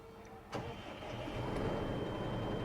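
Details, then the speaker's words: Eicher Pro 2118 six-tyre four-cylinder truck, 160 hp: key click, short crank, then the engine catches and settles into a smooth, low, even idle; refinement sounds good, healthy start. "Wow engine refinement అయితే బాగుంది."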